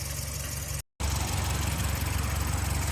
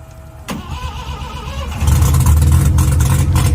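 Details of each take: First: Cranking compression test on a 12A rotary in a budget Mazda RX7: starter spins the engine with even, quick pulses of about three per second, no dragging or uneven beats. One rotor chamber read 100 against an 85 minimum, so compression is healthy. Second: Mazda RX7 12A rotary, first start attempt on a charged battery: short crank, then loud, raw, deep unmuffled burble; sounds like open headers with little coming out the tailpipe, exhaust apparently not functioning, cause unconfirmed.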